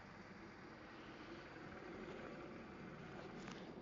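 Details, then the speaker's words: 2005 VW Polo 1.2 petrol/LPG, full service history, no overheating: very faint, even idle hum with no knocks or ticks, barely audible; a quiet, healthy engine. "engine is barely you can barely hear it it's barely"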